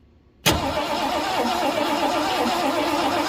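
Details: 1967 Ford Galaxie that sat 35 years in a cow barn, on a temporary battery with the number five plug wire off for a spark test: cranks steadily but never fires; no spark found, points suspected.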